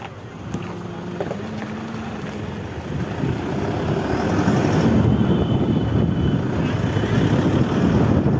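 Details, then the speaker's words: Toyota Fortuner on a road test after the faulty front wheel bearing was replaced: road noise builds steadily with speed, no hum or growl from the front wheel. "Bearing change हुआ है तो से road test में इसको निकालो थोड़ा सा ध्यान से सुनिए आवाज आपको नहीं मिलेगा"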